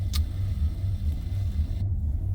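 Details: 2005 Maserati Quattroporte, 4.2 litre V8 Ferrari engine, low battery voltage: deep uneven idle surging and sagging, gone loopy with dash errors; rough hunting idle traced to a loose ground and an uncalibrated throttle body.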